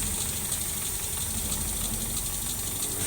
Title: 4g33 rough idle due to vacuum leak